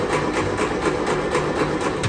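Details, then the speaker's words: 1957 Series 1 Land Rover that had run, then stopped: the starter cranks at an even, rapid beat with the ignition on, but the engine never catches or fires despite new spark plugs and tries with the throttle. The cause is not yet found. "Ignition comes on, it just turns over and doesn't quite fire."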